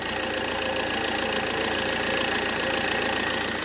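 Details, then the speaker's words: Fiat Multipla idling after sump replacement: steady idle with a busy, slightly uneven ticking chatter about three or four a second on one side of the engine; owner suspects something tension-related there, unconfirmed. "it's definitely something a bit tensiony going on down this side of the engine isn't it"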